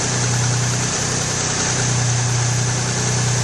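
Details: 1994 Geo Metro four-door during a drivetrain restoration, with distributor timing advance being checked. It idles with a steady, even low hum, no misses or ticks: a healthy, normal idle.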